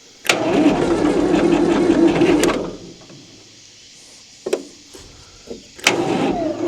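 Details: 1960 Massey Ferguson FE35 4-cylinder diesel, long unused in a paddock, first start attempt after fitting a battery, checking oil and water and adding fuel; a two-second burst of fast, even cranking then short bursts, never catching: cranks but won't start.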